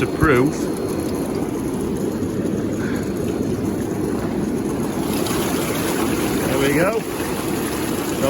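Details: Intex PureSpa hot tub bubble blower, which had stopped working after winter storage, running after repair: steady rushing, bubbling churn of water with no surging or cutting out; normal bubble blower operation.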